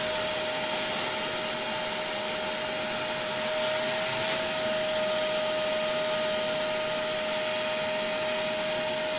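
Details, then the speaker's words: Vacuum cleaner used for cleaning a farm grain dryer: steady high motor whine over a hissing rush, with a rougher patch as loose material rattles through the hose. Debris is passing normally, with no high-pitched plugging sound. "You can hear there's definitely stuff there. You go forward with the vacuum cleaner, you can all hear the sound that stuff is going through the pipe."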